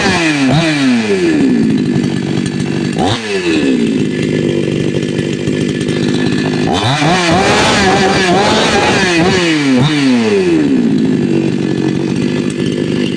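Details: Patelo 5460 chainsaw after carburetor tuning: idles then revs hard several times, pitch climbing and dropping cleanly with no stumbling; runs smoothly, properly tuned.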